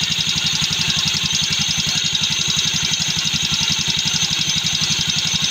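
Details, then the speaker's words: Yamaha Mio Sporty scooter, hard to start, idling: fast light ticking about four per second on the engine beat from a loose starter bendix whose spring is weak; noise reduced after reassembly, bendix later replaced. "Ayan mga paps Yung kanyang vindex yung isang spring ng vindex niya Mahina na na alog-alog"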